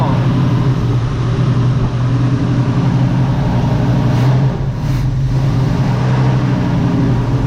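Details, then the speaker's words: 1969 Chevrolet Nova V8 at idle; a smooth, even, deep burble, much quieter than before with no ticking or tapping at all; normal idle. "why did it right down well that's much quieter no tapping at all"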